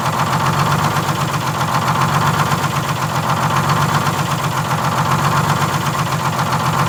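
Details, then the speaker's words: 1947 Silversides bus (3751), Detroit Diesel 6-71 at idle: slow, steady surge, under a second per swing, during governor adjustments to get shutdown working; hunting caused by a misadjusted governor buffer screw that needs adjusting. "oh see how much force that takes yeah i just want to make sure i get the hunt out of it real easy but you did did you notice that's what i was doing yeah oh yeah that's just the buffer screw"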